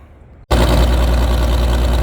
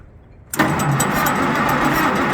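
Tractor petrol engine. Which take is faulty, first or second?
second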